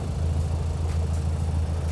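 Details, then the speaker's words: 28-year-old BMW Z3 bought near-scrap, at idle: low, slightly uneven rumble with faint periodic stumbles. Misfire; owner suspects a faulty coil or faulty HT leads, not yet confirmed. "I've had a little think and I think the cause of the misfire is either a faulty coil or faulty HT leads."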